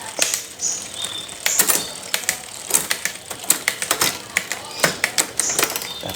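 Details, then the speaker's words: Bicycle rear derailleur after adjusting the barrel adjuster to cure delayed, noisy shifts: crisp, quick clicks as the chain steps across the rear cogs, smooth with no significant delay or lingering noise. "Kondisinya lancar, tidak ada penundaan yang signifikan, dan perpindahan gigi tidak menimbulkan kebisingan yang berkepanjangan."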